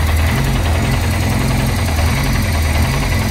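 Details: Loud, lumpy low idle with an uneven pulsing beat that keeps stumbling: freshly rebuilt Peugeot 205 engine just started after leads were reset to 1-3-4-2 firing order, ignition timing set by guess and carburetor unadjusted.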